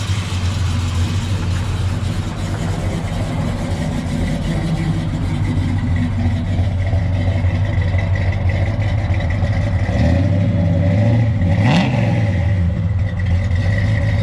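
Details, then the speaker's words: Restored 1965 Chevrolet Biscayne, 396 big-block V8, 4-speed manual, slightly cold-blooded but already warmed up: starts right up, deep steady lope with even exhaust beat and a quick clean rev; healthy warm idle. "It always starts right up, which is nice. Some cars you got to crank and pump, and this one you don't. It is a little cold-blooded. I had already pulled it out and warmed it up a little."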